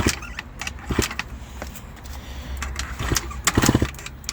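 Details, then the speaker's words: Kick-starting an Eaton Beamer Matrix 2 on rebuild with starter fluid and throttle wide open gives clattery bursts but it never catches; cylinder compression measured only 60 psi, cause not confirmed. "all right ladies and gentlemen you can tell that is starting it's trying to start and it will work it will work eventually"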